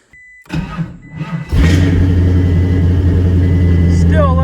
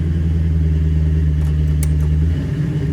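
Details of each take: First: LS V8-swapped Prius, new battery just installed, starting fine cold but not warm: sluggish, labored cranking for about a second before the V8 catches; voltage drop at the starter traced to a melted alternator connector. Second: LS V8-swapped Prius, starting with exhaust cutouts closed: deep, steady V8 idle rumble with no misses or knocks; normal idle.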